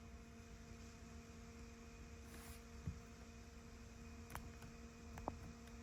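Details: 2015 Ford F-250 Powerstroke diesel after changing both fuel filters, key on with engine off to purge air; quiet steady electric hum of constant pitch; lift pump priming cycle running normally.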